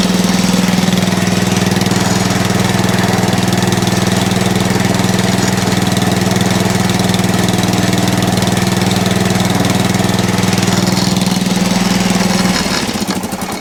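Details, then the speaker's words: Atco Balmoral reel mower after belt adjustment at the output shaft: engine runs steady with a fast regular flutter about two beats a second, shaking the mower; loose drive belt chattering, may need replacing. "a bit of luck that will stop the chatter if the belt is able to to move freely off of the the output shaft"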